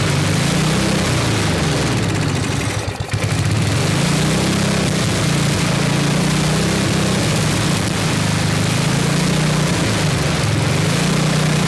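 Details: 1979 Toro 826 snowblower, 8 hp Briggs & Stratton, manual pull start, after carburetor cleaning: steady, even low single-cylinder beat with no knocks; runs strong and started right up, but won't hold idle, owner says it's out of adjustment.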